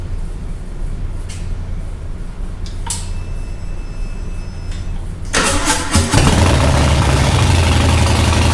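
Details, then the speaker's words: 2020 Harley-Davidson Breakout 114 rebuilt to Screamin' Eagle 117 Stage IV with Ventilator Extreme air cleaner, first start after reassembly with fresh plugs, cold; starter catches, settles into a loud, even, lumpy V-twin idle, normal. "Well, you probably can't hear anything because it's so loud that I'm imagining it just blew out the microphone for the GoPro."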